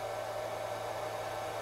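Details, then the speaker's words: Huanyang variable frequency drive (VFD) on a drill press, just booted and ready: steady loud even whir near 600 Hz from the internal cooling fan, which runs continuously with no way to switch it off. "it's ready for operation and you can hear that fan it and it runs continuously"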